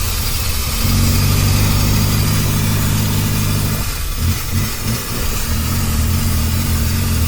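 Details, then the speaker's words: 1976 Toyota Hilux Chinook with a 20R four-cylinder engine, revived after sitting for years, during a drive attempt; a lumpy note surging unevenly, with only 2 of 4 cylinders firing, which is a misfire. "You know what? We got 2 of the 4 cylinders."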